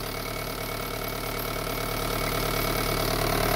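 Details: Car at idle shaking hard, with the gear lever moving: a steady engine hum with a fast buzzing rattle, about 220 a minute. The lower gearbox support mount was found broken.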